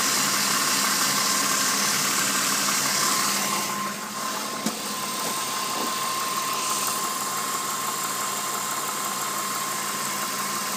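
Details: BMW M52B20 six-cylinder petrol engine idling with a light, quick rattling knock of unknown origin over its steady hum; owner asks what causes it.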